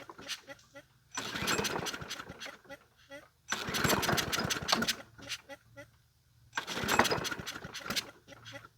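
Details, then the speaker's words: Free Brute 22 self-propelled mower, 190cc 7.25 gross torque engine, model 7800887, with a sticky throttle: catches in short uneven bursts with popping and stumbling, dying between pulls; owner suspects a sheared flywheel key, not confirmed. "Why is it acting like it's got a shared flywheel key? It's not pulling it back on me."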